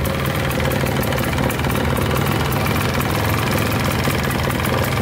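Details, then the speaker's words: Polaris 400L 4x4 ATV, 400cc liquid-cooled two-stroke, at idle on choke just after starting: a steady, even burble with no knocks or ticks, smoking out the back; a broken exhaust mount apparently rattles; idling normally. "It's idling pretty good right now. Right, sounds pretty good."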